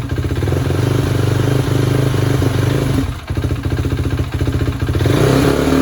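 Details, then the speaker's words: 2016 KTM Duke 390 single-cylinder, cold day: idle thumps unevenly and sags almost to a stall before catching; owner first suspected gas cap sucking air but ruled it out; stalling at idle traced to faulty fuel injector. "yo y'all gotta hear this it's even worse now I thought the gas cap was sucking in the air maybe that was why but it's not watch this"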